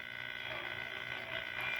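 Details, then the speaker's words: Five-tube AM radio, thrift-shop find electronically restored with an added external-antenna wire; constant buzzy hiss with steady tonal whines over the station, rising slightly; AM reception interference, owner suspects fluorescent lights, cause unconfirmed. "yeah you can hear that constant interference i did my business [Music] so it's struggling i think mainly those that that inference is coming from my fluorescent lights but it's doing okay"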